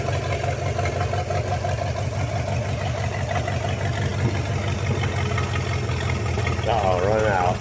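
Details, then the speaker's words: 1956 small-block 265 V8, bought non-running, now idling off its own carburetor with the fuel pump working, oil pressure not yet confirmed: even, low burbling idle at a steady beat, no stumbles or ticks; idling cleanly. "well I can't believe it put something in here actually Idols really good all right let's try it again unbelievable assistant idling off the carburetor I would say that sounds pretty good"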